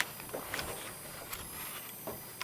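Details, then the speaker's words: Computer ATX power supply with only the standby circuit running (main supply not started), loaded by a 6.3 V bulb: a thin, steady high whistle with light clicks that changes with load, no fan. Standby whistle. "Слышите писк? Это дежурка. Вот сейчас блок питания не запущен ещё."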